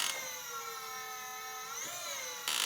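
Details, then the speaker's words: Electric power steering pump in a 1988 Honda Prelude conversion, drawing about 27 amps: a steady high whine that shifts pitch as the wheel reaches full lock. Kind of noisy but not loud from the cabin. Normal pump whine at full lock. "not too bad and doesn't seem too loud from inside the cabin but it is kind of noisy"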